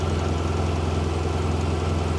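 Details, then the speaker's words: 2017 BMW R1200 RT boxer twin started after 9 months stored covered on a battery tender in dry Tucson climate, in neutral: fires quickly, steady even low thrum idle without stumbles or misses, healthy. "for it to fire off that quickly after sitting, you know, don't know if it's the climate. It's not a humid climate here."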